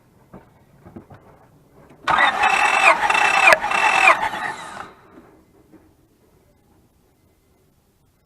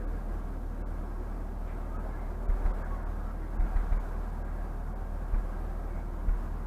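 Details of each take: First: 2004 Honda Pilot with misfire, code 1399, during compression test: about three steady even cranks with no dragging, readings around 195 to 210, consistent with good compression. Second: 2004 Honda Pilot throwing code P1399, compression around 195–210 psi: quiet idle with an occasional uneven thump every second or two breaking the rhythm; misfire, coils considered, cause unconfirmed.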